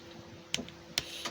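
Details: Motorhome electric water boiler switched on to heat to 50 degrees: a few sharp isolated clicks about half a second apart over a quiet hum, the thermostat switching on and off normally.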